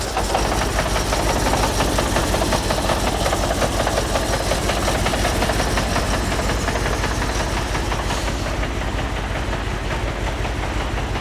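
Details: Audi R8 with injector-circuit misfire fault, after swapping injectors 1 with 2 and 3 with 4 to see if the fault moves: uneven, lumpy idle with irregular stumble and shake at start; sounds rubbish; misfire, rough idle.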